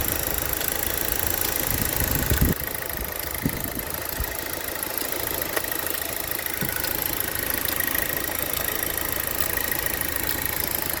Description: Have this ticking sound in the engine year 2010 Insignia 2.0 turbo. Its like a clock that ticking every second.